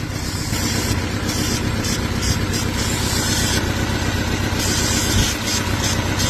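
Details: Vauxhall Astra petrol engine idling unevenly with a lumpy, stumbling misfire; spark plugs unchanged for about 37,000 miles and found worn out, gas escaping past them; plugs and coil pack being replaced.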